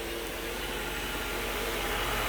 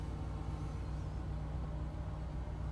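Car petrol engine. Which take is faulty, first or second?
second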